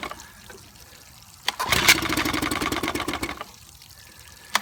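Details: 1955 Evinrude 7.5 hp fleet twin outboard under restoration (new coils, cleaned/replacement carburetor, single-line fuel conversion): silence, then a ragged firing burst under two seconds that dies; catches but won't keep running long enough to adjust the needle.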